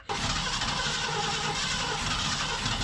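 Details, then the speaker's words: 1990 Ford F600 with carburetor problems, spark restored: steady starter churn for about three seconds that never fires, cranks but won't start, draining the battery; carburetor suspected. "something is not happy with this carburetor we end up killing our battery"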